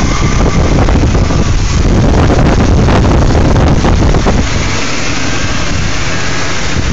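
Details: BMW E39 528i: low idle wavering and stumbling unevenly instead of a steady beat, with some wind rush; rough idle.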